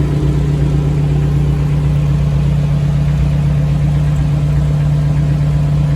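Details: Frame-off restored 1984 Jeep CJ7 with rear lockers, just started, starting easily: steady, even low rumble with a smooth firing beat and no knocks or misses; freshly started engine idling cleanly.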